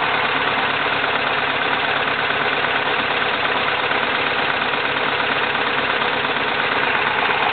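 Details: 1971 VW Type 3 Fastback flat-four, just static timed with the vacuum advance fixed: lumpy, loping idle missing on some cylinders, seemingly running on two; pulling plug wires 1 or 3 changes nothing, 2 or 4 kills it; cause unknown.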